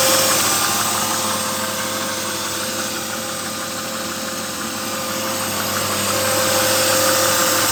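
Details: BMW 323i E36 engine running: thin steady whine up top and an even quick clatter near four per second; owner asks whether whine and ticking/knocking are normal, cause unclear.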